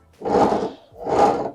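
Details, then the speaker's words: Bosch front-load washing machine that trips the circuit breaker, drum turned by hand after refitting heater: two slow dull scraping rubs; drum catching on misaligned heater element. "this to make sure that it's not rubbing against the drums not rubbing against the heater and for mine i can hear that's hitting against the heater"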